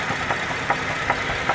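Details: 2010 GMC Acadia, 79k miles: sharp knock about every 0.4 seconds at idle, with codes P0300, P0301, P0303, P0305 and P0193; misfire suspected, not confirmed.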